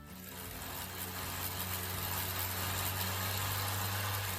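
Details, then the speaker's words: Kia brought in because the customer says it sounds like a grass trimmer: steady, raspy buzz over a low hum, holding even throughout, source unclear; buzzing engine noise. "And this customer came in saying, "My Kia sounds like a grass trimmer."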